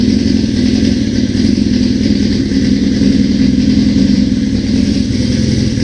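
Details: 1981 Suzuki GS650GL during rebuild, first start with new battery, plugs, filter, oil and pod filters, on choke: steady, even multi-cylinder beat at raised choke idle, no misses or knocks; runs cleanly, small carb fuel leak suspected.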